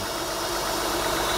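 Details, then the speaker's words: 2003 Honda Pilot 3.5L V6 idling while a tampered intake air temperature sensor, a likely code cause, is examined: steady even hum with no knocks or ticks; otherwise sounds good. "anyhow we'll have to look into that further but otherwise it sounds good"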